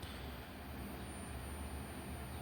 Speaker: Humming. I don't like that. Either it's not getting enough power through it, so it's causing it to hum.